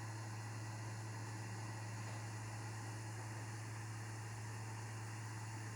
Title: My Ps5 is making weird noises !!!